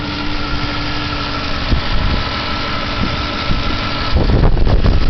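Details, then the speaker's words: Idling engine checked with a mechanic's stethoscope: an irregular low knock about four times a second over the steady run, traced to under the right rear corner of the engine. Cause not identified. "звук очень странный j он под правого заднего угла двигателя вот сюда"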